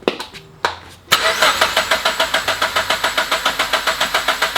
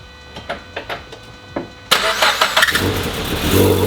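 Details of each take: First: Turbo Subaru BRZ before first start, crank position sensor still unplugged to prime oil, with a known coolant leak: two bursts of cranking at about three and a half pulses a second; turns over but never fires, as intended. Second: Turbo-swapped Subaru BRZ, first start still on the stock tune: several starter pulses, then it catches into an uneven, lumpy idle. Rough running is expected until the custom tune. The radiator, damaged by the AC condenser, is leaking coolant from the front.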